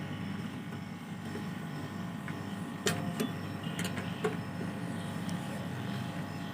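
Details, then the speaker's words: Air conditioner outdoor compressor just switched on during refrigerant recharge after vacuuming the lines, now drawing in freon: steady low even hum with no knocking or rattling; normal compressor running. "kompresor sudah hidup ya dia sudah mulai menghisap nih freonnya ya"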